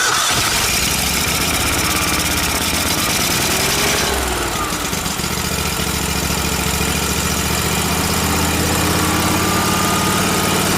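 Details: Miller Trailblazer welder engine after fitting the vacuum-operated fuel pump: fires, then settles from higher speed to an even low idle without stumbling; the pump was the fault, mixture screw adjustments changed nothing.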